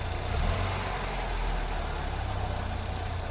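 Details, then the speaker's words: Hyundai Matrix idle too high (around 1200 rpm) now repaired, AC off: steady, even idle around 900 rpm, below 1000, with no hunting or surging. Normal idle after fix. "Nah, untuk RPM-nya sudah langsung turun ya, sekitar 900, di bawah 1, di bawah 1000. Ini artinya kita sudah berhasil."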